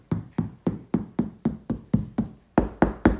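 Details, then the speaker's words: Proton Satria GTi roof panel after roof lining removal: steady knuckle taps give short, dull thuds that die away fast with no metallic ring. "solid much better so we're all done"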